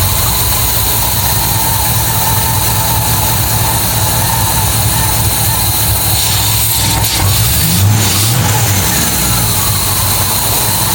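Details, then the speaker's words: MGB GT V8 at first start in neutral, at about 400–500 rpm with 40 psi oil pressure: a low, uneven, loping idle, running lumpy. No air filter is fitted and the carbs are not yet balanced. "thing, so still running very lumpy."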